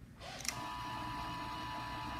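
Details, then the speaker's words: Maxon Series 5000 gas shutoff valve cycled with side panel removed and one electrical component changed: motor operator hums steadily spinning the cam, but no solenoid snap or pitch change against the return spring, so the solenoid isn't pulling in. "but what we see and also do not hear is a solenoid pulling it so in this example the solenoids not working"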